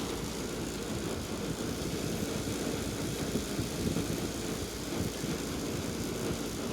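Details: Hampton Bay 10,000 BTU window air conditioner dated 04/10/2000, tested before cleaning and servicing, cool mode, fan on high, cover back on: steady, even rush of air over a low hum, no rattles or knocks; running normally, though airflow is weak and the unit likely needs cleaning.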